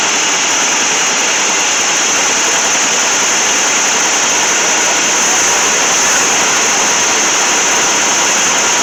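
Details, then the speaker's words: 1966 Ford Thunderbird 390 FE V8, first run in about 13 years after points and ignition work and new carburetor: steady, even roar with no knocks, skips or surges; runs smoothly, exhaust looks clean. "the old 390 was running good i'm not seeing anything it looks like any kind of robot not seen anything coming out of the exhaust that looks like it shouldn't be i'm really amazed at how well this car is running"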